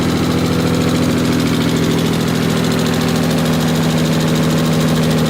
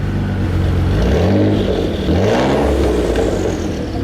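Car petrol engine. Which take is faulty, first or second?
first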